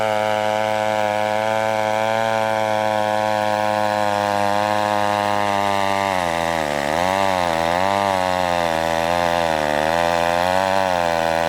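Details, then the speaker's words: McCulloch 1-42 two-stroke chainsaw, restored project saw, cutting wood: crisp, steady high-rev scream, pitch dipping and recovering as the chain bites; healthy saw pulling well. "you know what just thing reminds me of is that saw from the Texas Chainsaw Massacre the original one"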